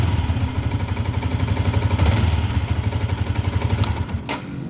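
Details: Yamaha Y15ZR single-cylinder engine after overhaul and reassembly, started to check oil reaching the head: steady even low thump with no knock or rattle; healthy running.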